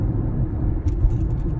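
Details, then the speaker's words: 2020 Toyota Prius Prime cabin on the interstate: heavy, even low drone from the buzzy petrol engine adds to loud road noise; engine drone and cabin road noise. "it's loud and intrusive and the engine internal combustion engine plays a huge role in that too so i put part of the blame on that um it's pretty noisy that engine it's pretty buzzy it's pretty drony too or can be"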